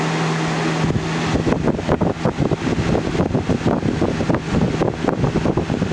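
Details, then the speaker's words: GE box fan model 106620 (2000–01) running on high: steady roar and hum turning choppy as the fan slows and revs back up; speed surging, owner hopes it is not a bad capacitor. "the fan slows down a little bit but then it revs up and I don't want to you know say that it's a bad capacitor or anything which I got God forbid I hope it's not but this fan still stays up to speed"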